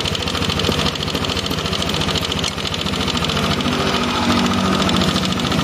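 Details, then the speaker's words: First-generation Yamaha NMAX idling: rough, fast metallic "krakrak" clatter, about three raps a second; caused by a worn intake rocker arm. "Ini dari suaranya identik suaranya teman-teman bisa dengarkan secara seksama nih dengarkan dari suaranya krakrakrak gitu"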